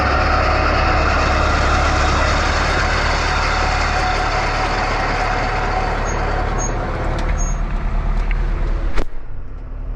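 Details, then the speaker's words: New Holland H6750 disc mower, after repairing cutter bar snapped in half from hitting a large rock, lowered and run from the tractor: steady even drone, mower spinning smoothly, no knocks or grinding from cutter bar; running normally. "And we're just gonna turn it on. Make sure everything's working right."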